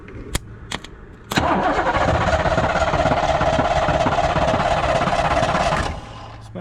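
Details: 1986 Fox Body Mustang, 302 with a 5-speed, sitting 15+ years; the clutch bypass kept it from cranking, so the starter solenoid was jumped. The starter spins the engine briskly and evenly for several seconds but it never catches. Crank, no start.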